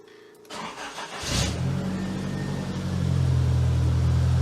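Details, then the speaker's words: Nissan S12 200SX project car, cold start after extensive work: brief crank, catches at once into a smooth, steady fast cold idle without stumbling; no sign of massive vacuum leaks, healthy start. "like a dream no seriously like a dream this wouldn't give you the impressions of an engine that has massive vacuum leaks or any issues at all"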